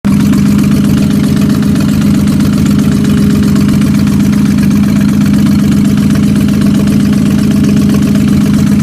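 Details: Ford Mustang at idle: fast, even ticking over a steady idle hum, no change in speed; owner unsure whether it is rod knock or an exhaust leak.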